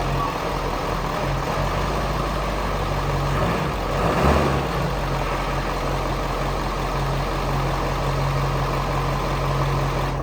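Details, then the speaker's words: Ford 7.3 Powerstroke diesel truck idling after coolant was bled, pulled out of the barn to keep running: steady deep idle with even low drone, no knocks, misses or hunting; intake leaks still to be sealed. "So we're just gonna pull this out so we don't smoke out the barn and just run it for a little longer."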